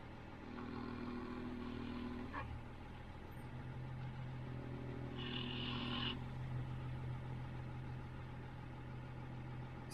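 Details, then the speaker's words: 2003 Range Rover L322 (MkIII) height adjustment fault: a low, steady, even-pitched pump hum from the rear, likely the air suspension compressor running while the car tries to lift. Car is now locked in low gear. "more or less like I can hear that the pump is going in the back."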